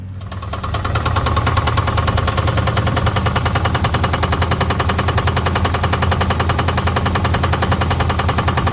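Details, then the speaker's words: 1979 Pontiac Trans Am V8 restarted after sitting over a decade, fired with gas in the carburetor: sharp knock about three times a second over rough idle; oil pan rub doubted, valves to be checked, source unknown. "but uh it's got a little bit of a knock right now I don't think it's got anything to do with this Dy oil pan I don't think that's rubbing against anything"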